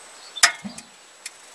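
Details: Truma water heater, previously showing red fault light 20–40 seconds after ignition: a few sharp, crisp ticks about half a second apart over quiet; igniter sparking normally again.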